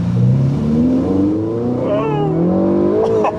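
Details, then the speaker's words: Ferrari 488, 12,000 miles, after replacing failed turbos: strong even pull under acceleration, clean rising note, no hesitation or flat spots; consistent acceleration versus partial acceleration before repair. "Dude, that's the difference I feel. That consistent acceleration. Right. Like before, it kind of had a partial acceleration, man."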